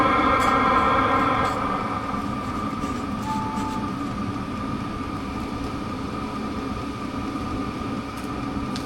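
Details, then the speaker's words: Diesel heater with an added honeycomb zigzag exhaust muffler: low, even hum with a soft steady pulse about four per second and no harsh exhaust bark; quiet, well-muffled exhaust. "and it's really really quiet"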